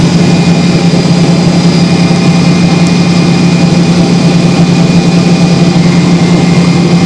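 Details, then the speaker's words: Hoover Spinarinse 3012A spin dryer from December 1968, spinning a load of laundry after drain hose repair with silicone sealant (leaks a little): loud, even, steady low hum, no knocking, scraping or wobble; running smoothly at full speed. "you won't always see the amount of what will coming out of it but you know that it is doing a good job well anyway I'm very very pleased about that"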